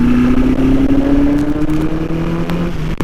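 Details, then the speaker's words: Custom Suzuki GS850 scrambler riding in very cold weather, running on 93 octane. At low revs the engine sounds strained and flat, then bogs; it picks up at higher rpm. A fuel shortage is suspected. "As you might be able to hear, the bike's still having a little bit of a fuel problem. It sounds like it's just not getting enough fuel. See how it bogs like that?"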